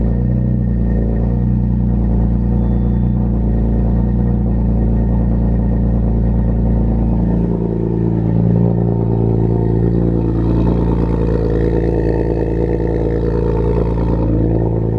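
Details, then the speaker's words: BMW E46 M3 S54, 70,000 miles, after ITB and idle control valve cleaning and TPS replacement, cold before warm-up: loud steady deep idle, constant without hunting or misses; idling well. "so she started off a little rough but um it seems to be idling great now i'll let it warm up and then we'll take it out for a test drive"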